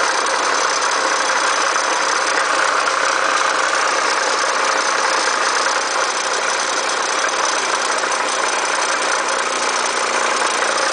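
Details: 1990 Acura Legend at idle: steady idle buried under a constant harsh, hissy clatter in the upper range with no clear rhythm, source not pinned by ear. Abnormal engine noise at idle, cause unknown.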